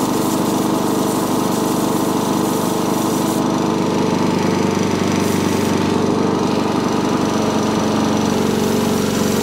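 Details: Sovereign lawnmower engine with dislodged governor spring, still not revving high after carb cleaning; steady but lazy running, beat stays low and never reaches full cutting speed.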